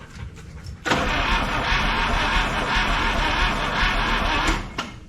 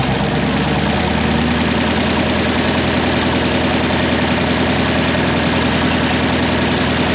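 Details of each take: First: 1961 Buick LeSabre 364 Nailhead, first run in decades, warm after about an hour: loud, uneven, slow loping idle with a gallop; spark and TDC checked and it backfires on throttle, so owner suspects timing is out. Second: 1961 Buick LeSabre Estate Wagon with 364 Nailhead V8, first running in about three decades, carburetor float not sticking: even, steady idle with a smooth low rumble and no stumble, miss or hunting; running properly.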